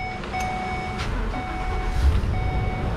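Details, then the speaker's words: Ford E350 van, engine running after accessory drive repair with pulleys aligned: steady low rumble, no more belt squealing or whining/grinding, both A/C compressors running; chime sounds about once a second. "i don't hear it all right no more squealing no more grinding the compressors are both running this one's in good shape repair complete success hooray"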